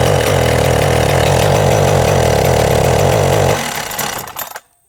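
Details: Husqvarna 372XP two-stroke chainsaw with pickup and starting problems: an uneven, lumpy idle beat of about four per second, then it dies. Rough idle; cause uncertain.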